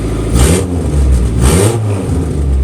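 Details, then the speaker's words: Classic Honda Civic first start after swapping in a replacement for a blown engine: it catches and revs cleanly twice with a crisp rise and fall, then idles smoothly. A healthy, normal start and rev. "Sounds like a healthy engine to me. Sounds healthy to me, baby. And it's idling healthy."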